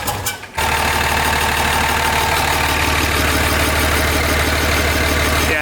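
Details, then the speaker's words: 2005 common-rail Cummins swapped into a 2008 Ford F-350 dually, after fixing rough running (combustion noise out the intake): quick catch on start, then a steady, even diesel clatter at idle, no smoke, no misses; sounds healthy. "sounds good now listen to that no smoke oh it's weird to hear Cummings in this thing right"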